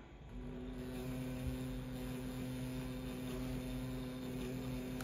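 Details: Precision Matthews PM 1228VF lathe spindle spinning up and settling into a smooth, even, low hum with no knocking during a dial-indicator runout check showing two ten-thousandths of an inch. Normal, healthy spindle running.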